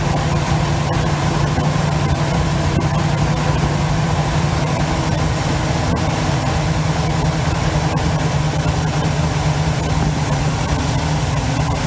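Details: 1971 Chevy C10 V8, long yard-sitter, restarted after an arcing cable that caused a small fire was fixed; idles up a bit: steady, even deep rumble with no misses, knocks or ticking, normal healthy idle.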